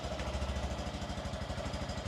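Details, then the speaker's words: Written-off 2017 Honda MSX 125 (Grom) from auction, first start after a fresh battery; steady, even low thumping idle with no knocks or misses, not burning oil. Normal idle. "tell you what though it does not sound too bad at all it's idling pretty [Music] nicely"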